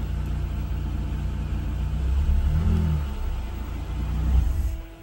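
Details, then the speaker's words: 1993 Toyota MR2 SW20 with a swapped 2GR-FE V6, just after first start: a low, stumbly idle swells as the throttle opens, then sags and dies. Stalls on throttle; owner suspects injectors gummed up from sitting. "because it's not running really great it's a little stumbly and as soon as I hit the gas it stalls out"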